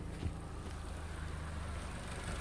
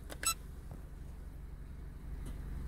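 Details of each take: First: 4-cylinder car on LPG idling just after replacing worn, clicking STAG WC-03 gas injectors that had caused jerking and shaking: low, steady, even hum with no misses; normal smooth idle on gas, no recalibration needed. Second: Stag WC-03 LPG injectors on a four-cylinder engine running on gas, under the bonnet: fast, light ticking about three per second over steady engine hum, louder than usual; worn injectors making the engine run badly, replaced with a new set.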